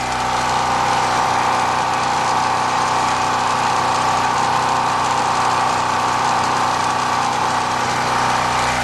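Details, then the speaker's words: New Powermate PM0143250 3250 W generator, 208 cc four-stroke, zero hours, warm start without choke, running a 48 W fan as break-in load; steady even drone with no hunting, misses or knocks, about 82 dB at 20 feet. "running a small 48 watt table fan that's a break in low don't really want to load it up while it's brand new"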